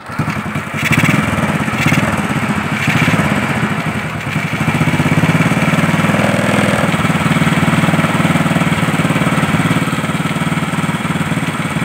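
After a few tries the single fires up and holds a steady, even putter without misfires or cutting out.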